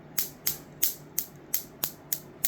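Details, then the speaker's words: Capacitor-dump circuit charging an AGM battery through a 400 V 10 µF capacitor: sharp, crisp ticks about three a second; the wire can be felt vibrating with each pulse. The circuit fires steadily but battery charging is slow, cause unknown; owner wonders if the battery type is wrong. "you feel almost like a pulse Go Through the Wire like I can feel the wire vibrate when that happens"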